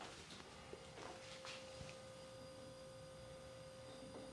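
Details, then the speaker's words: Ewave (Magic Chef) MCWC30MCG small wine fridge compressor after universal starter/overload replacement; quiet, even mid-pitched hum, no clicking or cycling, suction line cooling and liquid line warming: compressor functioning normally. "so this line is the suction line starting to cool down and our liquid line on the other side is starting to get warm so this thing seems like it's functioning all right"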